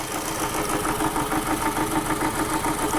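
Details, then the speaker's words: Toyota Camry with rough running, power loss and heavy vibration: uneven pulsing idle, about three stumbles a second, misfire on cylinder 2 with no audible arcing from its lifted coil, likely a purely bad coil. "I don't hear any R teams coming from that coil it's probably just a purely bad coil"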